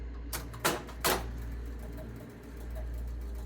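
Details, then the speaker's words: Gottlieb North Star pinball machine, owner reported score motor runs and runs: after pressing start, two relay clunks then steady low motor hum that never stops; score motor running on. "And it's running on forever."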